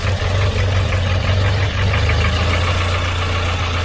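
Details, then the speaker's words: Volvo 940 Turbo, warm idle, low and uneven, pulsing and surging instead of holding steady; owner first suspects a split vacuum line or bad sensor; hunting found to be from a bad fuel pressure regulator. "what we could have is either a split line we could have a split vacuum line somewhere so it's allowing air in so it's making it hunt"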